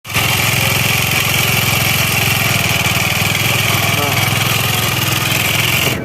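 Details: Automatic scooter with rough noise; loud rough idle with fast uneven clatter over the firing beat.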